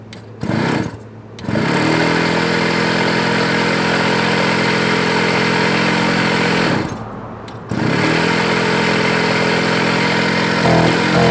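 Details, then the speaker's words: Scooter sat a year and got wet in a leaking shed, choked and restarted: steady buzzy two-stroke note holding even after each start, slight rise near the end; running cleanly again. "okay let's just restart yeah good deal nice all right there you go on camera you're starting your uh best I can there she is running again"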